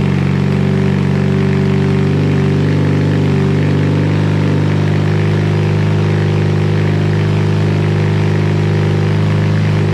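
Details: BMW R100 airhead twin on first start after full rebuild (new crank, connecting rods, rings, seals, head refresh), Bing carbs set: steady, even low thrum with no knocks or ticks. Normal idle.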